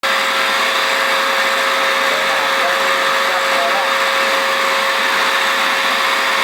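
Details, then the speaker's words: Eureka Powerspeed upright vacuum run too long without cleaning: a loud, rough, gritty roar with the motor grinding and no suction; filter plugged, with dust and sand in the hoses, belt and motor. "yeah it doesn't even suck that gravel up and you can hear the motor just a grinding in there so let's have a look let's have a look at the filter definitely the filter is plugged"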